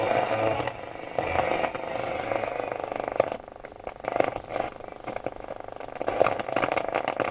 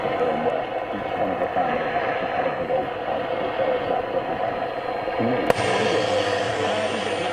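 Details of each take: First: Roberts R707 radio after fitting a refurbished module, with a makeshift FM aerial: crackly static with faint, patchy signal bursts and almost no clear station, though FM worked on the test radio. Weak FM; a connection fault is suspected. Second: Roberts R707 radio after refitting a refurbished replacement module, on long wave: a steady broadcast plays clearly with no distortion, crackle or buzz. Clean reception.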